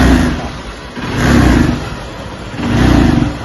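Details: Honda Stunner commuter bike with a starting problem in the rainy season, unresolved at several workshops: throttle blips rise sluggishly, flatten low and sag back, not revving above about 4000 rpm. Carburetor block, fuel flow or weak battery suspected; fuel tap flow checked.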